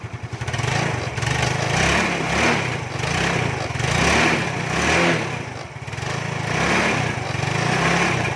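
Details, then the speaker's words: Carbureted Yamaha Fino, first morning cold start by kick (battery dead) after a part was replaced and left overnight: small engine running steadily with gentle rhythmic rev rises and no misfires; keeps running after cold start. "อันนี้ครั้งแรกนะเี่ครั้งตอนเช้าครั้งแรกนะครับผมจะสตาร์ทเท้านะครับเพราะว่าไอ้แบตเตอรี่มันหมดนะ"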